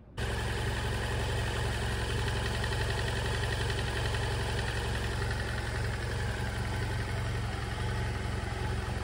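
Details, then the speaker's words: Motorcycle at about 80,000 km idling with a light, uneven metallic rattle that began subtly and grew with mileage; suspected cam chain noise, and the mechanic believes it is probably the chain tensioner. "Ce bruit a commencé lorsque la moto avait environ 80 000 km, ce bruit a commencé de manière très subtile, de temps en temps, et l'intensité a augmenté au fur et à mesure du kilométrage"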